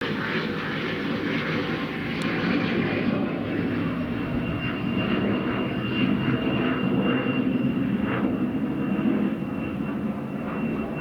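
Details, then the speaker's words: Cessna 560 jet departing Cambridge UK heading southwest: steady takeoff roar with a thin high whistle held over it on climb-out; odd engine noise, cause unknown. "alright that just took off from claims Airport heading Southwest and then as you had made a bit of a strange noise from the engine"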